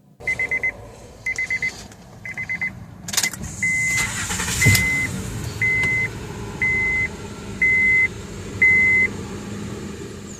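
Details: 2010 Honda Odyssey that previously cranked but would not start, after a new backing switch was fitted: warning chimes sound, then it cranks briefly, catches and settles into a steady idle under a once-a-second chime; it starts fine.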